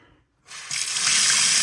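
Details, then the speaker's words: Domestic water supply reopened after repairing a leaking steel tee and reconnecting two copper networks: a sudden even rush of water from the tap settling to a steady flow, no sputter or knocking; no leaks, normal flow. "Il faut ouvrir l'eau. On n'a pas de fuite."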